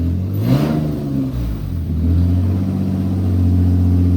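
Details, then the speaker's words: 2007 Infiniti G35 Coupe, 6-speed manual, after swapping in a replacement engine, first start: revs blip up smoothly then settle to a steady even idle, no knocks or misses; smoke, thought to be fluid and grease burning off. "Alright, she's alive. She's fucking alive."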